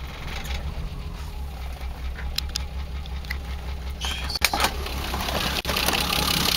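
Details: BMW E30 with M20B25 six-cylinder, running rough after newly installed injectors and chip/ECU: uneven, loping idle pulse with irregular stumbles under some clatter. Rough idle, cause not confirmed.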